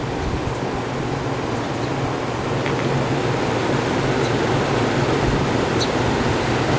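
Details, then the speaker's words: 1967 Chrysler Airtemp 6000 BTU window air conditioner, model L06-72, first test on extension cord, compressor drew 36 start amps: steady even rush of fan air, no knocks, rattles or hum; compressor barely audible, cooling and running healthy. "Actually, it feels like it's cooling. Can't even hear the compressor running."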